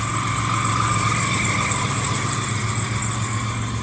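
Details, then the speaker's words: 1994 Chevy S10 at idle, after distributor timing: a steady high squeal over an even idle that never changes pitch. The owner suspects the AC condenser/compressor; this is not confirmed. "still hear a squeak yeah it's definitely that AC condenser is not happy"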